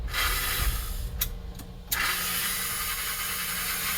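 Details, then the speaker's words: Rebuilt #322 toy steam locomotive electric motor running in reverse after the rebuild cured its surging. Even, smooth whirring hiss with a faint leftover rasp and no surging. Normal running. "I mean, again, that's the sound of a happy motor right there. There we go. Everything's moving smoothly."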